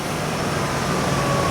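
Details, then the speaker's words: 1993 Chevy Caprice V8, salvage-auction car, after a full tune-up replacing original cap, rotor, plug wires and likely original plugs: fired up instantly without long cranking, then a smooth, steady idle with no miss, tick or rattle. "it fired up instantly like it was instantaneous it usually you know how usually cranks it goes nee nee nee nee nee nee nee nee and then it starts up"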